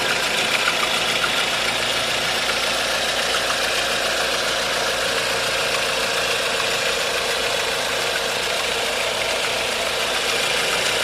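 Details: 1.4 16V engine at idle with a light, uneven ticking knock about 3–4 per second; timing chain tensioner checked and a belt removed, but the noise remains. Source undetermined.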